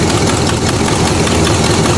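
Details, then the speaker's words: Buick V8 after a stalling fault, running as if on four of eight cylinders, was fixed: now idles evenly with a steady low rumble, no stumbling or missed beats; new plug wires still to be fitted. "So that's it. She's running again, and all it needed was a pacemaker. So everything's good."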